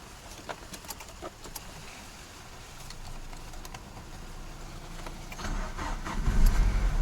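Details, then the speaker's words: Used Nigerian Peugeot 406 at start-up after a fuel pressure test, cooling fan bypassed: sluggish, dragging crank at about four turns a second that slowly builds; weak battery causing slow cranking. "The battery is weak. I wonder why it's making that noise."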